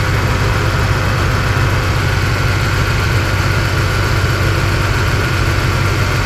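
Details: 2011 Cadillac SRX with cylinder 3 misfire: low idle with an uneven stumbling beat about twice a second instead of a smooth run, consistent with a single-cylinder misfire.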